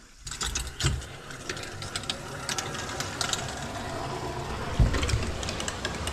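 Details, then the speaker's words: First water turn-on of DIY plumbing from house to a 400 sq ft cabin: irregular clicks and ticks rattle over steady rushing water as lines fill; owner unsure if leaking. Rattling while filling. "I hate that sound. So here it's gonna stop. What? Dude, all those noises are nerve-wracking."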